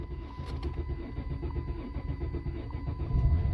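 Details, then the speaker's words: Car that had three camshaft position sensors replaced elsewhere without a fix. A low, steady starter churn at about four beats a second with no catch. The computer cannot read cam position, so it defaults to a long crank of five to seven seconds before starting in limp mode. "here's what that will cause if your computer for for whatever reason cannot read uh the position of the camshaft this is what it would default to just long crank time"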